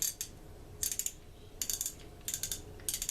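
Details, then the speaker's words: Daiwa 7290C spinning reel during service, anti-reverse switched on: bursts of light rapid metallic clicks each time the rotor turns, stopping between turns; anti-reverse clicker working normally. "you've got an anti-reverse on here right now i've got a disconnect disabled when you turn it on you hear that click"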